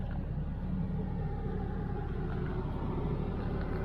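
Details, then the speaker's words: 1998 Lexus SC400 V8 idling after short drive: low even rumble, steady beat, no knocks or stumbles, only faint belt squeak; runs smooth and healthy. "all right so you can hear it sounds smooth feels smooth no funny noises just a little faint little squeaking from the belt no big deal but no knocking"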